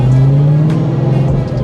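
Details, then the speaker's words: Ford Cobra driving in the rain before a rear-end swap to 3.73 gears and 31-spline axles: a steady low drone holds over road and rain noise. Pinion bearing whine. "uh mostly because and you'll hear in a second that my pinion bearing is going"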